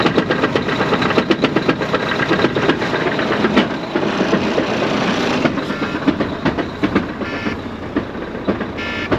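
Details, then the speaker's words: 2014 Volvo VNL semi truck, hotwired to check it out: heavy, uneven clattering knock two to three times a second over the diesel, with something coming apart and beating around in the automatic transmission; the engine itself sounds good. "Well, there's definitely something coming apart in the transmission. It's beating around. Sounds like it's going to beat a hole in the floorboard."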